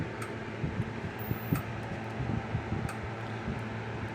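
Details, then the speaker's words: Kencove KF6000 EK6 electric fence energizer plugged in: low steady hum and faint capacitor sizzle, lights flashing but no regular pulse clicks; charge builds but never discharges. "well it's flashing but it ain't clicking and you can hear that capacitor sizzling like it's not a bad thing it's just building up the charge and it's just not discharging"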